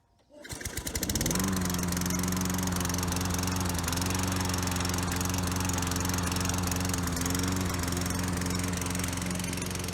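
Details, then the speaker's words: Toro Recycler mower model 20016, after repairs (coil, cleaned carburetor, belt, blade adapter, drive cable): catches within a second and settles to a steady, even drone. It skips a beat unloaded but runs strong when cutting. "When there's no load on it, it does kind of skip a beat, but when you're cutting, it runs strong."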